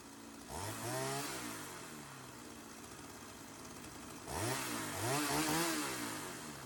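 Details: Sachs-Dolmar 100 chainsaw that wouldn't idle even after a carb rebuild, now fuelled with chain fitted for the initial tune: two-stroke buzz blips up twice and drops back to a steady idle each time without stalling, so it now holds idle.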